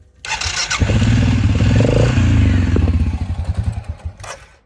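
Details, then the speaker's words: Suzuki King Quad 750 ATV, warm after blading a driveway, radiator fan running: engine catches after a short crank, runs rough and uneven, then dies when the throttle is released. Won't restart until fully cooled; fuel pump later replaced. "Uh, it's fairly warm. Um, and if I were to let off the gas at all, it would die and I go to start it back up again and and it'll have a hard time starting"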